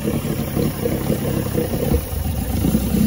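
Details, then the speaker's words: 1986 Force 85 hp outboard on Bayliner Capri, warm in test barrel, shifted into forward from high-idle warm-up position: lumpy idle surging and sagging, stalling in gear; owner reports full throttle fine; carb rebuild suspected, not confirmed. "well it did stall let's see maybe i didn't do it quick enough let's try it again well she wanted to stall well maybe those carbs need to need a good"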